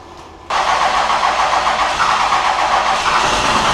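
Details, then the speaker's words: 1999 Cummins 24-valve diesel truck with complaints of hard, long starts and heavy white smoke, test-started on a battery charger with the #1 injector line cracked to check fuel pressure. It catches abruptly after a short crank and settles to a steady, even clatter. "Alright guys, we got the battery charger on it to see if it'll start and if it ain't gonna smoke."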